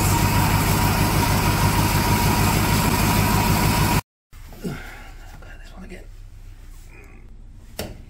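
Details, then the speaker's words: Barn-find classic Mini pickup-based ice cream van, first start on choke after long dormancy: engine catches and runs loud and steady with a deep even beat for several seconds, then cuts out; normal running. "holy cow actually running it's all the way sound right"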